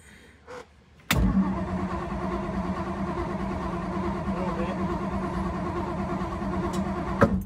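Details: 1956 Ford Thunderbird: starter cranks evenly about six seconds without catching, with the fuel line unhooked at the carb to check pumping. No start traced to junk diaphragms in the rebuilt OEM fuel pump.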